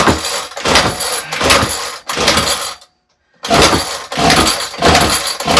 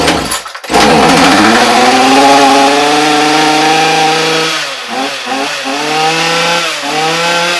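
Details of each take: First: Ryobi RY252/RY253 2-cycle gas string trimmer, trade-in unit that sat unused, fuel lines already replaced: repeated rough starter pulls, about one a second with a pause, never catches; carburetor suspected, spark not yet checked; carb replacement next. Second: Ryobi RY252/RY253 2-cycle gas string trimmer after carburetor and fuel line replacement: starts and settles into a strong, clean buzz, blipping evenly with the throttle; the carburetor was the fault.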